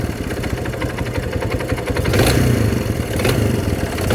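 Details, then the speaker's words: Kawasaki Barako single-cylinder motorcycle idling, an uneven knock riding over the beat and growing louder on throttle blips; the mechanic rules out the timing chain and mission and calls it connecting rod knock. "Wala, hindi yan timing chain. Connecting rod nga."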